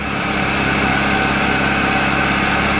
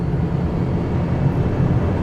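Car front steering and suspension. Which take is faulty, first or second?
first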